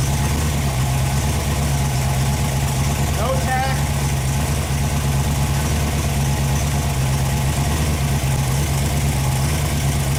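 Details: Freshly rebuilt Ford FE 390 V8 (Edelbrock, fuel-injected) on an engine run stand, first start after priming oil pressure: it runs steady and even with no knocks or misses, then is shut off because a fuel-system part blew a seal and leaked fuel.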